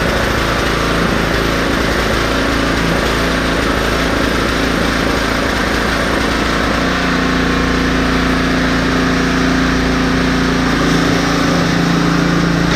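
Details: Husqvarna ST330T/ST332 snowblower that wouldn't start, oil black and smelling of gasoline: small engine holds a smooth, even chatter at constant speed with no stumbles or knocks; running fine.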